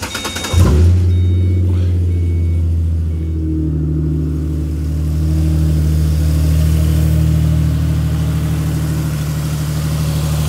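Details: Ford 4.0 V6 started after replacing the leaking plastic thermostat housing with a non-glued one, coolant still low, checking for leaks; cranks, catches quickly, settles into smooth even low idle with no misses or knocks: normal start and idle.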